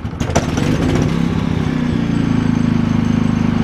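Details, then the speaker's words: Harbor Freight Predator 3500 W inverter generator, cold start after six months' storage under a workbench. Manual pull-start, since the battery is dead; it catches on the first pull and settles into a steady, even drone with no misses. "crank after six months I can't believe it"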